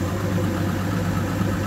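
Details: Evinrude G2 200 HP outboard idling after descaling with Rydlyme. Water now flows from the outlet line where none came before, the blockage that caused code 25 EMM temperature fault. Smooth even low idle, no knocks, misses or surging; normal idle.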